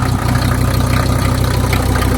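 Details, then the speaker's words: Mercedes OM617 diesel in a Jeep after lift pump rebuild and rotten primer pump replacement, glow plugs used, not run in months: steady even diesel clatter at idle, smoother than before, no misses or knocks; normal idle. "Oh, that's great. I haven't heard that sound in months. I missed it. Man, it's idling smoother and everything."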